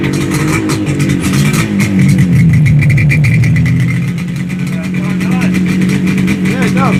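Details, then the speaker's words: Yamaha RD250 two-stroke twin after sitting a long time, previously running on one cylinder: crisp pick-up on a few revs, settling to steady, even idle; now running healthy on both cylinders. "it sounds good there we go hey I wanted to give it a little Rev got to love the sound of a two-stroke twin"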